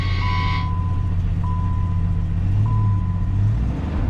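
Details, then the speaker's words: 1995 Jeep Grand Cherokee after sitting six months, first start with new battery replacing tested-bad old one; brief crank, catches at once and settles into steady low idle with soft repeating chime; normal start and idle. "the old battery had it tested and turned out it was bad so this should fix it should start right up"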